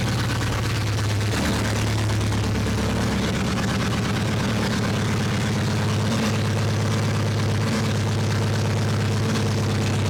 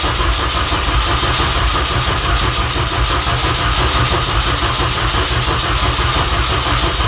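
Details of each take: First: 2006 Mini Cooper S R53 after cylinder head replacement, longer run warming toward temperature: steady low idle, even firing, no knocks or ticks, good oil pressure, no leaks; engine sounds healthy. Smoke is likely spilled coolant burning off. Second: 2006 Mini Cooper S R53 after a cylinder head replacement: even starter churn at cranking speed with no firing, coil pack connector disconnected to prime oil before the first start.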